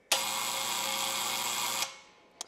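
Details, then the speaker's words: 110 V electric unloader solenoid valve added to an air compressor controlled by smart switch: harsh even buzz under two seconds while energized, valve chatters instead of pulling in; owner suspects wrong coil, replacement valve worked properly. "I discovered an issue with this valve and that's when the power is turned on to it all it does is vibrate it turns on and off really"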